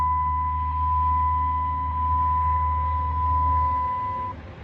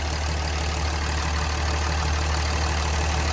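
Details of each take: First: Non-running Cummins diesel single-cab truck cranking: the engine spins over on the starter with an even churning beat but never catches, with no tach signal. The lift pump is unplugged, so no fuel; a bad crank position sensor is also suspected. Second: Cummins diesel single cab truck, about 215k, after repair including possible crankshaft position sensor replacement: steady, even diesel clatter at idle with smooth low rumble, no misses or knocks; engine running healthy.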